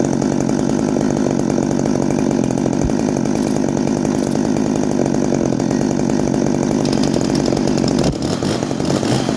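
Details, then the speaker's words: Farmertec ported G366 chainsaw first start, timing increased, 21 thou squish, factory muffler: loud steady high-revving two-stroke scream, clean and even, no misfire or bogging; running strong with more power. "But yeah, if it's good to see if she sounds like. Sounds like she got a bit more balls."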